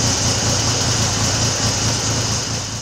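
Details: Triumph classic motorcycle just recommissioned, head stud thread repaired to 10 mm and float bowl leak fixed, carb slides synchronised: even steady idle with regular low beat, no misses or cutting out; running cleanly.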